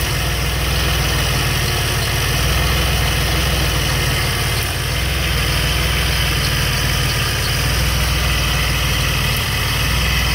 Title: DeLorean - Strange "ticking" sound coming from distributor